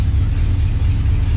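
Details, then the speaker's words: 1967 Pontiac Tempest station wagon, first start with temporary alligator-clip wiring to the distributor, fuel pump audible; deep, steady low rumble with even beat, no knocks or ticks, about 60 psi oil pressure; idling smoothly and healthy. "so let's fire this thing up in this situation not only do you need one fire extinguisher you need two so got two sitting here and uh just as i thought this is not going to work fired right up though"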